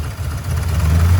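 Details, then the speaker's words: Ford F100 truck with a 98 Explorer 5.0 V8 at idle on a manual fuel pump up to 8 psi, owner thinks it needs only 5.5; deep, uneven lumpy idle wavering in loudness, settles with throttle. Rough idle. "Meanwhile, I might only need 5.5. So as you can see, it's kind of shaky right now."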